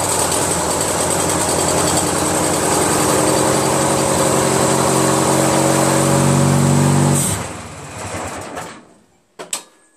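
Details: Craftsman DYT4000 repowered with a 14 hp Briggs twin, battery fully charged with the charger connected: runs steady, then dies abruptly when the PTO blade clutch engages, followed by dry clicks. Owner suspects PTO/crankshaft length mismatch or the stator; unconfirmed.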